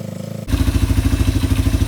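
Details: Yamaha ATV single-cylinder engine idling after carburetor cleaning and about four float adjustments, clearing leftover WD-40: quick, even putts at about fourteen a second holding a steady beat, no stumbles. Clean idle.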